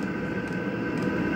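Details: Diesel air heater left cold and wet for over a year, after the burner fires and while warming up. A steady jet-engine-like roar with a constant fan whir, no sputtering or pulsing: normal running.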